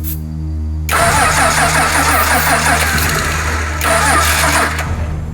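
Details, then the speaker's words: Rebuilt Australian roo-hunting ute on jerry-can fuel, no carburetor pump squirt seen, starting spray used: starter churns in two long bursts but it never fires; cranks without starting, owner suspects no fuel in the bowl. "Start, you bastard. Let me just see if you got a pump squirt. I'm not seeing one at the minute. We might not have any fuel in the bowl."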